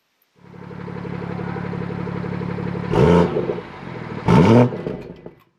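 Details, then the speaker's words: BMW F30 340i after fixing exhaust valve rattle with a new clip/pin in sport mode: smooth idle and two clean revs, no rattle or buzz. Normal idle and revving after repair. "all right i'd say that that is a good fix and um even though it's not quite loud"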